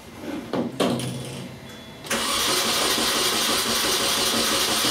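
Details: 2002 Mini Cooper 1.6 turbo after a seized alternator was found and spark plugs reinstalled, cranking with amp clamp attached: a few clicks, then steady, even starter speed with no drag or binding; normal cranking.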